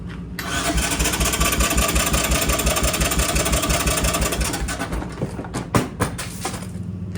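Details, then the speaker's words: Three-wheeler cold start: slow laboring starter churn, roughly three turns a second, dies after about five seconds without firing; battery dead, ran after charging. "battery's dead we'll have to wait a couple minutes"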